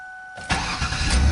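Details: 2000 Ford Taurus 3.0L OHV V6, about 107,304 miles, first start after alternator replacement: short crank, catches at once and settles into a steady, even idle; clean, healthy start, charging confirmed.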